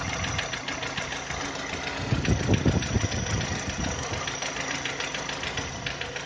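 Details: VW Touran 2010, 1.6 BSE engine rebuilt about 15,000 ago (oversize pistons, valves, hydraulic lifters), cold after two days parked: quick even ticking knock about three-four per second starting a minute after start as idle drops below 1000 rpm, lasting until warm; cause unknown.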